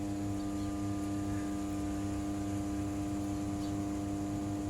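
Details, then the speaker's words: Hitachi automatic washing machine that won't wash or spin, lid opened; steady low motor hum but the tub doesn't turn, wiring to the motor checks OK. "เหมือนเครื่องนี้นะครับได้ยินเสียงการทำงานมอเตอร์อยู่คะอันนี้จะแดงว่าไปไปที่มอเตอร์แล้วมีมอเตอร์มันเลยมีเสียงร้องนะครับ"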